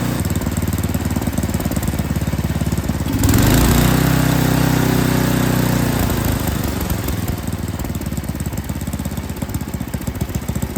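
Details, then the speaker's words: Yard King snowblower that wouldn't start: small engine hunting and stumbling, then surging and settling steadier as the carburetor high and low mixture screws are adjusted (in to lean, out to richen); carburetor had been out of tune. "so as you heard there I was adjusting the moment or excuse me the screw on the bottom which is for your high end you turn it into lean it out you turn it back out to make it rich"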